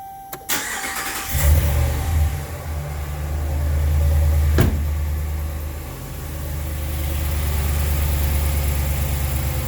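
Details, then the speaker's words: 2014 Dodge Ram 1500 5.7 Hemi V8, cold start right after an oil change: brief crank, catches cleanly into a raised cold high idle that settles down, with no dry ticking or rattle; normal cold start with high idle. "no we had noises nothing yeah no no no dry sounds like it was running dry sounds good just came out of its high idle so it's settling"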